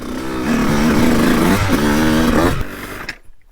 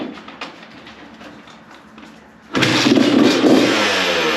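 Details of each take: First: 2002 CR125 two-stroke before tuning, on stock jetting, ridden on a corner track: revs climb sluggishly with a wavering, blubbery tone, sounding backed up before pitch rises; bogs. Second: 2002 Honda CR125 two-stroke, which had been lacking power and breaking up before and in the power band, after port work and carb jetting: fires up without choke, quick throttle blips, even crisp idle; running great now.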